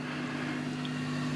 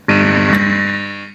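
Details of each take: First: Fender Hot Rod DeVille Mark III 4x10 valve amp out of standby at full volume with a 12AY7 in V1, mic at the speakers; only faint steady hum under soft hiss, slight crackling noted earlier; normal amplifier hum. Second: Fender Hot Rod DeVille Mark III 4x10 valve amp with a Hammer ECC81 in V1, mics tipped toward speakers; loud steady tone near 200 Hz starts abruptly and fades, a second ECC81 did the same; valve amp oscillation.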